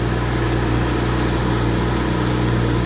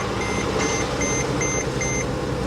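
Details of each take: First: Copart auction car with check engine light on, automatic start-stop and traction control turned off: smooth, even low idle hum with steady pitch, no misses, ticks or knocks; engine runs very well. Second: Copart auction car jump-started with a booster pack after ground trouble: warning chimes repeating about every 0.4 s over an uneven, coarse-running engine that sounded awful at first then improved; rough cold start, cause not pinned down.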